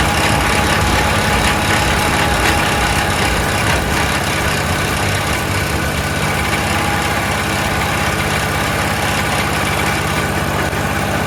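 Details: Troy-Bilt 22-inch front-wheel-drive self-propelled mower with a 4HP Briggs Quantum engine, first start after a few pulls. Fast, uneven, hunting ragged beat with heavy muffler smoke, possibly oil from lying on its side. Oil checked good, little gas; owner suspects carburetor needs cleaning.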